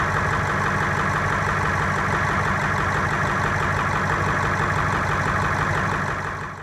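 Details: Ford 7.3 Powerstroke diesel idling after hard start following injector O-ring replacement, heads repressurizing: loud clatter with uneven loping beat about three a second; running rough, cause unconfirmed.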